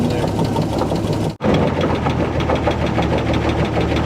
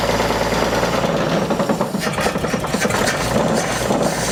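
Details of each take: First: 1948 Chevy inline six, abandoned 58 years, on its first revival run. A deep, steady thump from the bottom end is felt at the oil pan and block: a rod knock. Oil is not reaching the top end and is leaking everywhere. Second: 1950 Chevrolet short bed truck abandoned decades, first start after long sitting with accelerator held: loud, rough but steady idle with even beat and no knock rising above it; old engine running, though a knock was heard earlier.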